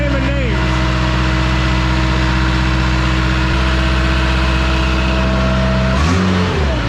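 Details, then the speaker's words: 2007 Bad Boy AOS 7200 with 35hp Cat diesel, running after gasoline contamination was drained; strong steady low diesel drone, even firing, brief speed change near end, runs healthy though later problems remain possible. "all right so on a brighter note this one is running like we talked about before though just because it's running doesn't mean that we'll have a problem later it is possible"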